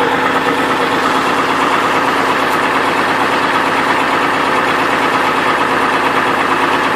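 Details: 2002 Chevrolet Trailblazer idling with a steady deep knock about three times a second that persists with the belt removed, ruling out water pump; rod knock from a worn rod bearing.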